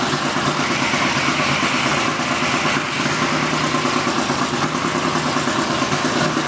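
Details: BMW E46 Formula Drift Pro 2 car with CBM Motorsports engine, first fire, idle being adjusted: loud, lumpy idle that hunts and chops like a boat; rough idle, builders say not enough base air, planning to drill the throttle body.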